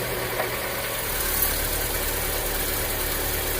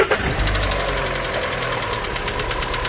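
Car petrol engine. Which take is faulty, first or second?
second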